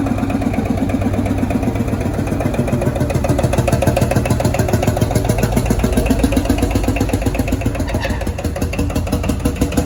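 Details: Field Marshall Series 3A single-cylinder diesel, first start after rebore and oversize piston fitted (a ring had snapped, likely from bore pitting); steady deep thump about three and a half beats a second, no knocking, sounds better than before.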